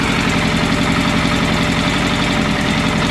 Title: FZS600 engine knock